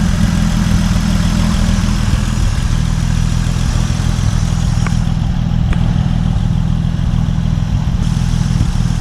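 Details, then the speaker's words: 1950 Dodge Meadowbrook engine idling, no thermostat, oil pressure 40, temp steady just under half, after electrical rewiring: steady, even low rumble with no misses, knocks or hunting; sounds really good, normal idle. "Oil pressure's at 40. Uh temp is uh holding steady a little bit less than half. It sounds really good, doesn't it?"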